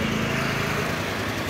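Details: 2021 Honda New Vario 150 FI scooter at idle: coarse, uneven buzz with light ticking on top. Workshop attributes the roughness to internal wear from heavy active use, such as ride-hailing, but the cause is unconfirmed.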